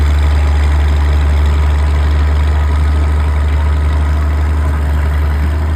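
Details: Old Caterpillar D6 diesel dozer warming up, with a steady, even idle rumble of about four beats a second and no knock or miss. It smokes a bit but sounds good; normal idle.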